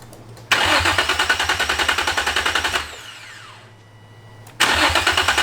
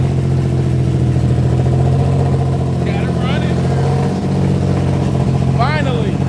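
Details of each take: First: Infiniti G35 no-start: starter cranks the engine at a steady chug, about three and a half beats a second, twice without firing; no spark, caused by a disconnected ground wire. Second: Infiniti G35 with straight headers, no exhaust or catalytic converter, after fixing a starting issue with one wire, minor oil and power steering leaks: very loud, raspy, steady idle with a deep even drone, no misses; runs fine.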